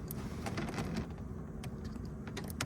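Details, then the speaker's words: Water leak detection system solenoid valve, which can stick despite no actual leak, here actuated by hand using the 9V battery trick with a visible spark. Sharp, irregular clicks as the valve snaps open and shut: it is actuating normally. "Anyway, it's kicking the valve open and closed."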